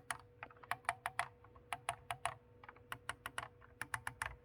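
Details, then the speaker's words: Audi D4 S8/A8 rear center console buttons after cleaning out spilled drinks and refitting springs into their grooves: crisp, springy clicks two to three per second, consistent; previously mushy, now clicking properly. "So before the buttons were mushy, and now, as you can hear,"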